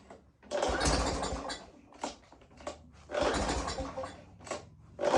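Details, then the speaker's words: Greasy curb-found string trimmer, low oil topped up, restarted after first not staying running; small engine catches and revs in short bursts between throttle blips and keeps running, smoking heavily as oil burns off the covered cylinder and oily intake. "that's a winner we're getting a lot of smoke off of here but remember that cylinder was covered with oil there was oil in the intake"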